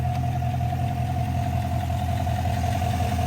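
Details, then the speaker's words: GMC Sierra 1500 5.3L L83 V8 after swap to LT1/LT4 ZR1 Corvette cam and springs, AFM/DOD deleted, new pushrods: smooth steady idle, even low rumble, no ticks or knocks; oil pressure and battery voltage good, running well. "sounds fine yeah sounds a little different see oil pressure battery voltage everything's good sweet she running again"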